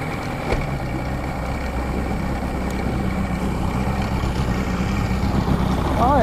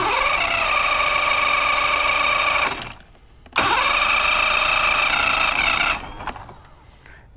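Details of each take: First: Mercury Classic 50hp outboard after installing new stator, trigger and power pack and setting timing: steady even idle with faint hum, slowly building, no misses or knocks; running properly. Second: Mercury Classic 50hp outboard after stator, trigger and new power pack install, plugs in: two rising-tone cranking bursts that never catch. Cranks but won't start; owner suspects a carb job and tries spraying something in.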